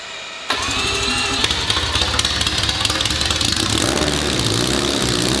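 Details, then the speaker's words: First start of the billet four-rotor rotary on open headers, Adaptronic M6000 ECU: engine catches and holds a loud, fast, choppy idle on its own without hunting; stable and running healthily. "That was an idle by itself."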